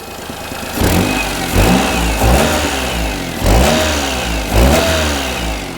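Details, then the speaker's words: Perodua Kenari with aftermarket exhaust after the front section was refitted and its joint tightened; each throttle blip brings a sharp puffing chuff over the engine note, less than before; exhaust still leaking at the joint, maybe missing gasket or wrong-size exhaust. "It's nowhere near as bad as it was. It was chucking really bad. Yeah, there is still a bit but um"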